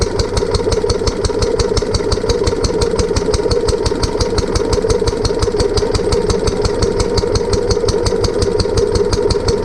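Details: Barn-find Lister D petrol engine on a trolley with an Aerograph compressor, remounted after first start-up with fuel leak fixed and new plug: single-cylinder thump near 170 a minute, slightly uneven and jumpy, partly as the new coach mounting bolts aren't sitting well.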